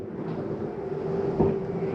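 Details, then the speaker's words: 2024 Sierra 4003MB trailer, slide-out retracting: steady low electric motor hum ending in a firm clunk as the room pulls fully in, the noise signalling it is all the way in; slide motor working normally. "once you hear that noise it's just a slide mechanism telling you that you're all the way in"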